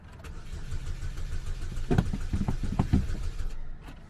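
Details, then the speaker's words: GM auction car, supposedly a runner with oil checked, cranked on a cold jumper pack; slow, uneven cranking that never catches or fires, engine turns over but won't start. "oh my well we got a no start this is not going to be good"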